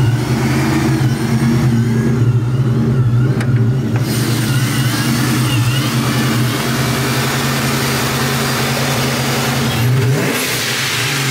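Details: Vortech-supercharged 1999 Ford Mustang GT V8 with Tial Q 50 mm blow-off valve revving, loud deep revs settling with an air hiss near the end; idle fluctuates from blower/charge-pipe issue, runs great driving; normal revving.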